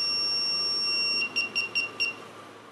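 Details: Aftermarket reversing parking radar sensor system (4 sensors) being tested after installation: steady high electronic tone, then chirps that speed up as someone walks toward the rear bumper until constant; sensor warning working normally.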